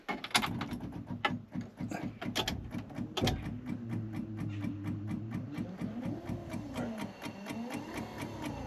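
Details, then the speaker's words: Triumph TR7 replacement wiper motor tested on the bench after the original motor was weak: even hum and steady mechanical chatter, strong with no labouring, noticeably stronger than the original motor. "It's working. It does sound a lot stronger than the other one."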